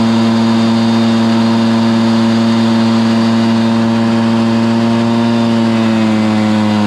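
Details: Stihl BR430 backpack blower after carburetor cleaning and high-side limiter adjustment: loud, steady two-stroke howl holding pitch at full throttle with only slight drift and no bogging; bogging fixed.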